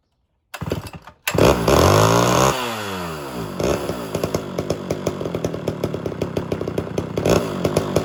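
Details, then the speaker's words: Homelite Super XL chainsaw with rebuilt Tillotson carburetor, good cylinder, being tuned: after a rev it settles into an uneven popping beat about three a second with skipped firing, a misfire; owner suspects an air leak, with some smoke from carbon buildup. "appears as though we got a misfire there you'll still see a little smoke from the carbon buildup but the big issue right now is a misfire"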